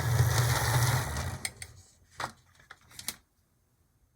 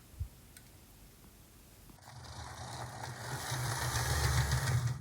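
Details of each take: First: Older HO loco, sitting perhaps a decade or more, running rough on track after a derailment: motor whir with a fast tick about three a second; owner suspects a cracked gear in the bouncing front truck. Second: Atlas GP35 HO loco after cleaning wheel crud: small motor whirs evenly on two passes with a light steady tick; slight hopping remains, blamed on crud still on the rear wheels.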